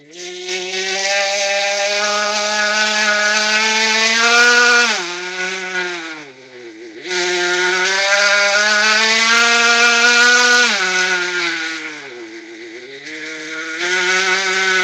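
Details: Small high, buzzy engine during break-in, run rich and given just a little throttle, rising and falling; a harsh mechanical clatter rides over the combustion note, cause unclear.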